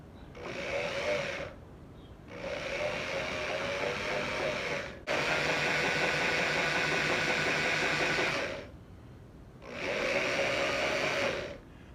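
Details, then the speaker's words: Engine being test-started after a 15-year rest: a remote electric pump feeding oil through the oil pressure gauge line whirs in bursts of a few seconds with quiet gaps; the hose expands, showing good pressure. "can feel the hose expanding and contracting as i start and stop so i know i'm getting good pressure behind it"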